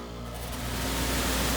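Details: Lennox heat pump package unit after blower motor replacement, wheel set for counterclockwise rotation, first power-up: smooth rush of air swelling over a low even hum as the fan spins up, no knocks or squeal; normal blower run.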